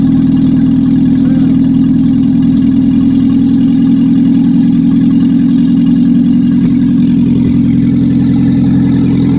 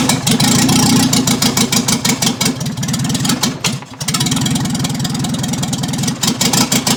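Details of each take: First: 1955 Morris Minor, engine and gearbox just installed after a half-finished restoration: loud, steady low drone at even idle with slight rev changes, no knocks or rattles; running normally, not yet driving. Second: 1955 Morris Minor, engine and gearbox just installed, ignition re-timed (firing order 1-3-4-2), running with no exhaust fitted as the downpipe is missing: loud, raw, crackling unmuffled note rising with throttle blips; open exhaust.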